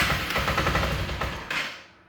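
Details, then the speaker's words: 1984 Yamaha Riva 180 scooter, 5,800 miles, sat not running, battery dead: rapid chattering starter cranking that never fires, then fades; cranks but won't start, carburetor suspected to need cleaning. "And this is your start. It will kind of like crank, but it won't"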